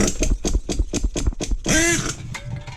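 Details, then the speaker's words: Nitro RC paintball truck with OS No. 8 glow plug, being broken in, just started with lots of fuel: slow, uneven popping about four beats a second that sags and nearly dies; idle set too low, turned up half a turn. "Whoa, get back over here. Turn the idle up. Turn the idle up half a turn."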